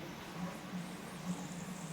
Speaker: There’s barely any noise, and overall, the condition feels much better.